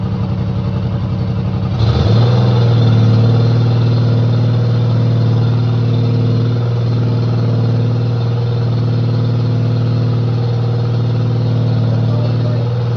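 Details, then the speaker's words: 1995 Cub Cadet Series 2000 hydrostatic tractor, previously wouldn't stay running with no fuel from the pulse pump; with fuel pump now fitted it catches in about two seconds into a steady, even idle; still not charging. "fuel pump is on yeah so that was definitely the problem it's running as you can [Music] hear"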